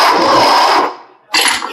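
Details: Audi A6/A4 electric steering rack on bench, turned by hand: rough grinding whir with thin tone each turn, then stops; internal damage from water.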